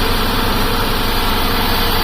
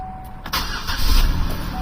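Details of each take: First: 2008 Buick Lucerne CXL 3.8L FWD with code P0300, shaking and hard to start: rough, uneven lumpy idle with no steady beat; no spark from one coil. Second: 2008 Buick Lucerne CXL 3.8L FWD after replacing the shorted ignition control module that caused P0300 misfires: a brief crank, then an even idle with no stumble or shaking, including in gear; a normal start.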